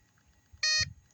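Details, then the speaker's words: Off-grid test station inverter gives a sharp high-pitched beep warning of low battery voltage; a 300 W bulb drawing about 288–293 W pulled the battery down to 11.8 V. "so just that one bulb is putting quite a biggest quite a big strain on that battery and you can hear the beeping on the inverter the inverter is reading or it knows that the voltage is too low"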